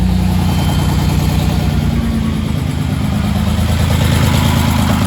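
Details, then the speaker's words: Freshly rebuilt VR6 engine just installed, on first start: low throbbing idle with slight irregular chug instead of an even rhythm; owner suspects a missed vacuum line, unconfirmed. "chugging a little bit. Maybe I missed the vacuum line. Every light is going off."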